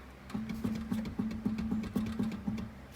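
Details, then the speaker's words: 2002 Acura TL Type-S at 306,000 miles, front left wheel rocked by hand at every angle: short dull knocks about four a second with play felt; worn front wheel bearing clunk. "good amount of noise there still there grab it on the side still more noise grab from the bottom you can hear that noise and feel it no matter where i grab the wheel"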